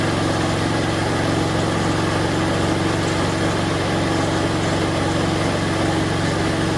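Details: Snapper 4/22 vintage snowblower, small single-cylinder engine, restarted after freeing the throttle linkage: steady, even beat at settled speed with no surging or over-revving; normal idle.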